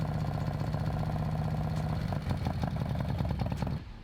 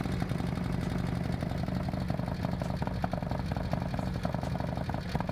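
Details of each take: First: Harley M8 with freshly installed S&S 124 kit (cam, oil pump, adjustable pushrods, cylinders, pistons), first start: busy rapid lifter tick and rocker chatter over lumpy V-twin idle, lifters still pumping up, should quiet after heat cycles. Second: Harley-Davidson Milwaukee-Eight with S&S 124 kit and Samson exhaust, first fire-up after build: fast sharp lifter ticking, about four per second, over a lumpy V-twin idle until the lifters pump up with oil; left to heat-cycle, expected to quiet down.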